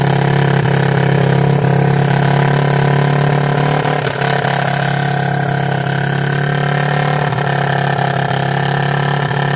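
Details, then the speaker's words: 1986 Yamaha YFM Moto4 200 single-cylinder ATV after carb work, with a tight throttle cable: when hot it idles fast and steady with a slight surge, not dropping back to low idle; needle valve sticking suspected, not confirmed. "What the hell makes it do that? It sounds like a almost like the damn needle valve sticking. I know better than that. It runs so long and then it does that."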